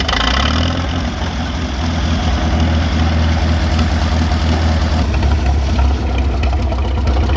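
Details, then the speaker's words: Old tractor engine that would not start; the ignition points had almost no gap and were reset to 0.013 in, after which it fires right up: catches and settles into a steady, even low idle with no misses or knocks. "I said it to 13 000 fired right up I've I've started it four or five times now yesterday fires right up"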